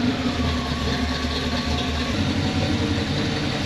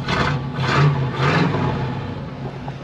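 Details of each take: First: 1978 Pontiac Formula Firebird 350 V8, after swapping the Holley for a 600 CFM Edelbrock carburetor: deep steady even idle, no stumbles or knocks, snappy, good exhaust condensation. Normal idle. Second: 1978 Pontiac Formula Firebird 350 V8, a field find, on the stock top end with a two-barrel carb. Three blips over a dull idle, the note choked and muffled; the cast-iron stock manifolds feed a single collector and a tiny muffler and exhaust, which is restrictive.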